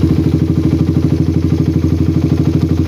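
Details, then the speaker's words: Motorcycle with PWK carburetor that ran too rich at low rpm, slide lightly notched (coak): steady, even idle pulse about three beats a second, idle now higher; throttle slide no longer affects idle, air screw needs rebalancing. "Oke kedengaran Di sini langsam jadi lebih naik"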